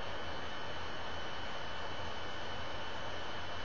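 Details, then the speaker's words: Laptop fan rushing loudly and steadily while the Logitech webcam recording freezes; cause unknown, owner thinks she may need to clear stuff off the computer. "I can hear my computer starts running like I can hear it running and then the whole thing just freezes on me like it's doing right now"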